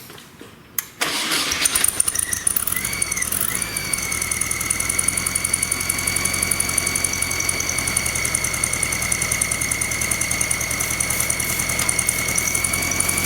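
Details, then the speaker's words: Volkswagen, under 1000 miles after build, rough idle and bearing-like noise: engine settles into fast busy idle with a hiss that smooths out when carb cleaner is sprayed at the intake manifold base; leaking intake base gasket, vacuum leak. "There it is. See how it smooths out as I spray it? So that intake base gasket is leaking."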